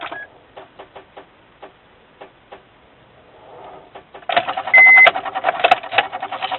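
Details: Truck on battery charger won't start, gauge needles chattering; a few isolated clicks then fast even buzzing chatter on crank attempt, engine never turns over; electrical no-start, cause suspected, not confirmed.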